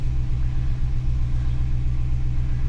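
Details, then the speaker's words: Holden HK V8 after new valley fitted, idle set high, warming up: low, lumpy idle with slightly uneven beat, rougher than before; owner suspects air leak around improvised carburettor gasket sealed with goop, not confirmed. "yeah she certainly sounds a bit rough rougher than she did"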